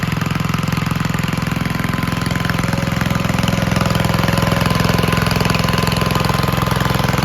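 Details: 1951 Gravely Model L single-cylinder garden tractor, fixed by swapping the weak original magneto for a hotter backup, thumps steadily at about 214 beats a minute, even and regular with no misses, and is running smoothly.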